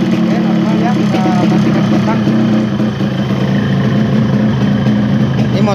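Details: Yamaha RX-King two-stroke with a newly bought ignition switch and rewired AC-ignition contact circuit, test run: an even, busy burble holding steady with no misses or stumbles, idling normally.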